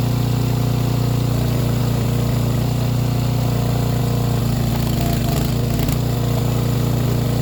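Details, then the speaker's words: Ported Echo 670 chainsaw freewheeling at top rpm, owner listening for four-stroking burble to avoid over-revving: small single-cylinder thumping with a slightly irregular beat; uneven running, fuel starvation suspected ("needs a drink"), not confirmed. "I want to hear the top of its RPM. I want to hear that flutter. Some people will call it burbling."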